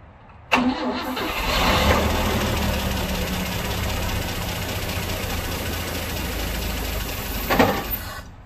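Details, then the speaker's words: 1960 Grumman Olson Kurbside step van, 235 engine, first start since 1992 on starting fluid: cranks, catches quickly, settles into even fast idle with no knock or valve-train noise; sounds healthy. "So at least I heard it run for a few minutes, and it wasn't making any noise. I didn't see any kind of issues with the valve train or anything, and that's a good sign."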